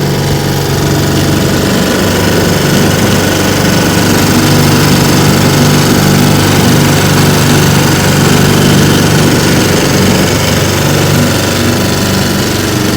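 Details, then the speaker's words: Restored 1950 Johnson TN-28 5 HP outboard on final bayou test run: loud, steady drone under way with water and wind noise, no misfires or speed dips; pulling well. "i'm out here on the bayou this morning with my tn 28 1950 johnson five horsepower taking it for a test run she runs pretty good let's see what she can do not bad very nice"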